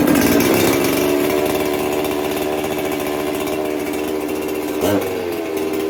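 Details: John Red 670 chainsaw with newly fitted compression release: strong, steady high-revving buzz holding even pitch, brief dip near the end; runs cleanly.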